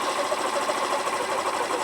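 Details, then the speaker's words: Derbi Senda Cross City 125 single idle adjustment via screw: raised to about 1900–2000 rpm, then turned left, fast even buzzy beat slowing to about 1500 rpm, no misses; idle speed being lowered. "And now we're going to turn it left and listen as the engines uh ticking over kind of goes slower."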